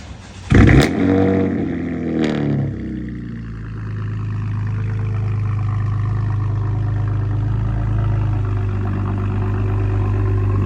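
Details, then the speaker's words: Cold start of a 2020 Chevrolet Camaro V6 just after an oil change with 6 quarts 5W-30 and a new hand-tightened filter: short crank, quick rev flare, then a smooth steady low idle with no ticks or knocks; normal cold start. "I'm gonna turn it on now. So okay, here's a cold start for you guys."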